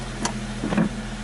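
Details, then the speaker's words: 1992 Nissan NX 1.6 L fuel-injected manual, after fixing a no-crank no-start: starts, steady even idle with a smooth rev blip, no knocks or misses. "this is 1992 technology here check it out ah digital dashboard and it starts how cool is that"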